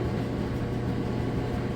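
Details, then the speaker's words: Whirlpool electric dryer running with no vent hose fitted, so blower motor is loud: steady low hum with even airy blower rush, no scraping or thumping; dryer running normally. "Sounds great. Now also, I don't have a vent hose on the back, so it's kind of loud. If you had your vent hose on the back, you wouldn't be hearing the blower motor, and you basically just be hearing the clothes tumble around."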